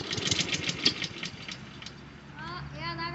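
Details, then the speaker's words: Honda lawn mower with auto choke in very cold weather after a cold front: fires on first pull, note climbs smoothly to a steady run as the auto choke kicks in; normal cold start. "Let's see what she does. That's first pull. That's acceptable. It's cold out."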